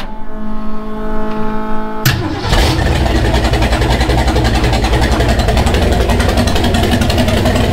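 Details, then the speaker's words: '30 Model A rat rod coupe with a temporary Edelbrock setup, cranked in park then put in gear: a brief starter whir, it catches at once and settles into a steady, even idle. It stays running in gear and isn't loading up; a slipped harmonic balancer is suspected. "so it's cranking good it's staying running in gear it's not loading up fuel is not burning our eyes so it's coming together"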